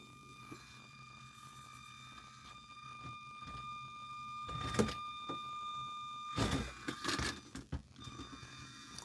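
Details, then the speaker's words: Redcat Ascent 32 RC crawler, new out of the box, steering tested on bench: thin steady whine with higher ringing overtone, broken by clunks as it moves; the stock five-wire steering servo is noisy. "Oh, the the servo is noisy though. And I also did notice I'm pretty sure it's a five wire servo."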